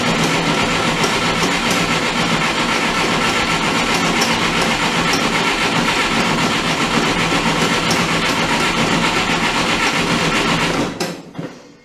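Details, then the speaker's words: Oliver Super 55 diesel tractor after re-sealing its American Bosch PSB4A injection pump: fired right up, runs with even steady clatter about eleven seconds, more snappy than before, then shut off and winds down cleanly. "it fired right up go figure it's lot more snappy now and for damn sure well that makes me feel better"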